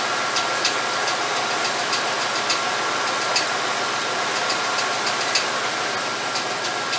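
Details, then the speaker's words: 1989 Chevy K5 Blazer, GM TBI engine, during ignition timing set to zero with the ECM advance connector unplugged and distributor being tightened: light, uneven ticking about three per second over a steady idle; new noise, source unknown. "I got a little tick there. I don't know where that came from, but I never heard that before. So we'll have to investigate that as well."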